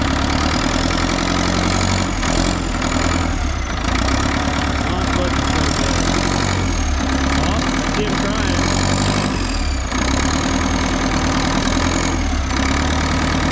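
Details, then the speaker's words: Front end loader diesel, unused about 15 years, now running a few minutes after getting fuel through and topping up the water: steady low rumble at an even idle with no misses or stumbles; running as it should. "all right after a few minutes we're running we topped up the water it's now idling"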